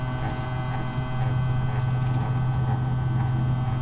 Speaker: so it is making a sound and it's actually kind of uh not a consistent sound but more of a like see if i can get my mic closer